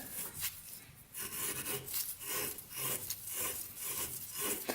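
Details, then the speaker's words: Polaris Predator 500cc quad flywheel being hand-lapped back and forth on grinding compound; a gritty, rhythmic rasp that grows quieter as the grit breaks down over about 10 minutes, a normal lapping sound. "And then we're just going to rotate it. And you'll hear it gradually get quieter and quieter as that grit becomes smaller and smaller on the compound."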